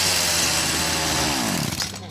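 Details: BERALA BL-29X chainsaw that wouldn't start, now running on a little fresh fuel after priming pump; high buzzing two-stroke howl that winds down and fades near end; fires and runs cleanly.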